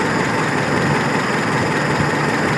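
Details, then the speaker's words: Carburettor car, manifold hot but thermostat not yet open: steady idle with a dull, soft hum and no misses; idle mixture screw still set too rich. "Nah, tapi kita tes saya ini campuran stasoner yang rasionya masih terlalu kaya."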